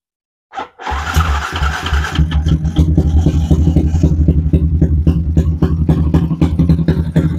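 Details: Yamaha Y15 motorcycle in the workshop after the noise problem was addressed: engine catches quickly and settles into a steady, even idle thump with no harsh rattle, now quiet and healthy.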